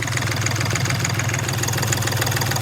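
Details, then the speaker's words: Hyundai Grand i10 diesel just after engine rebuild, first start, engine cold, radiator not yet fitted; loud uneven lumpy clatter at idle with heavy shake; slight misfire and tight feel, rough idle with misfire. "अभी इसमें थोड़ी missing जैसी लग रही है और तगड़ पकड़ कुछ ज्यादा लग रही है"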